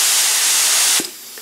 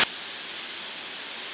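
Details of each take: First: Paint spray gun fed from a compressor (about 110–115 psi) through a regulator and desiccant line filter, which back-pressures the line to about 48 psi. A strong, even air hiss drops abruptly to a much weaker one as the filter restricts volume and flow. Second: Spray gun on regulator at 26 psi with no desiccant filter fitted, compressor discharging about 110–115 psi: strong, steady, even hiss with no pulsing or sputter, a massive increase in airflow; normal, unrestricted flow.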